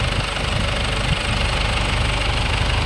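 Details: 2011 Ford Everest diesel that died while driving, repaired by replacing broken rocker arms and timing belt without a top overhaul. Steady, even diesel clatter at idle, no misses or stumbles; running properly again.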